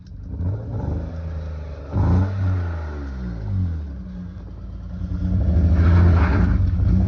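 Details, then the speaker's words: BMW E34 Touring, M50 engine that needed a jump start and nearly stalled, before an S52 swap: clean revs climb and fall smoothly with steady pull, no knocks or rattles. Healthy engine. "buddy got the M50 running can hear it taking away don't stall it like that oh my gosh you're lucky this thing started back up"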